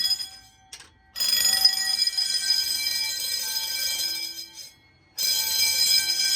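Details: Fire-Lite MS-9200UD fire alarm system built in a basement, with bells: the bells ring in bursts of about a second with short silent gaps, sounding the code 3 temporal pattern.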